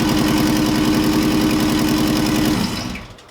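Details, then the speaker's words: Honda CRX with swapped Subaru EJ205 engine, first startup, stockish setup: fast idle with slightly lumpy, uneven beat, no clear miss, then shuts off; not running smoothly, owner unsure if timing, fueling or base-map tuning. "Well, I don't know if you can tell in the video, it's not running super smooth. It's not a misfire type running rough-ish situation. It's just not as smooth as I would like it."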